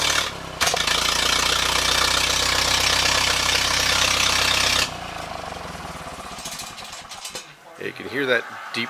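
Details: Ferguson TEA 2080 tractor starting and idling roughly, with uneven deep pops coming back through the air cleaner, mostly near the end. Cause unclear; owner wonders about carburettor issues or governor setup.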